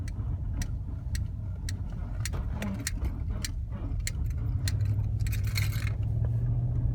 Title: Range Rover Supercharged 2006 creaking noise